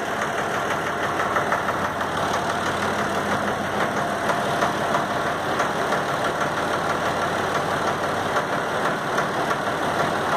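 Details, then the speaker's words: Valtra A750 3-cylinder diesel tractor at idle: uneven beat with an irregular stumble about three times a second, one cylinder dropping out. Misfire caused by one stuck injector. "e o defeito pessoal era nos bicos tá o defeito aqui tava nos vídeos quase derrubei já uma mão é terrível tá tava nos bicos a um deles estava trancado tá"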